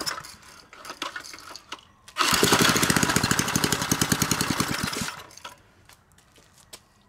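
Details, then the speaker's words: Previously locked-up 3 hp Briggs & Stratton single-cylinder engine, freed and fired on a replacement carburetor, runs evenly about three seconds without knocking, then dies as it won't draw fuel. "we took an engine that was free that was locked up and we got it running and it sounds good I don't hear any knocking so that's probably going to be a good little three horsepower engine"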